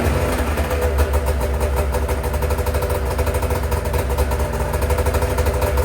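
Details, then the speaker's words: Race snowmobile two-stroke on initial startup after a fresh rebuild with a new power valve. Loud, lumpy, choked running that sounds like a plugged exhaust or running on one cylinder; the servo motor isn't cycling, cause undiagnosed. Rough running. "Terrible. Sounds like the exhaust is plugged. That's what it sounds like. So initial startup of fresh rebuild, not going awesome."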